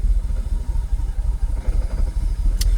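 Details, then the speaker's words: Jaguar XKR (X100) after Bank 1 Denso coil pack swap, idling: lumpy, stumbling idle with irregular low thumps as it drops from closed to open loop, pending multiple-misfire codes and restricted performance return; misfire. "now something's just happened to go from Clos Loop to open loop let's see if we'll read um fault codes while the engine's still running M multiple sisire multiple multiple misfire"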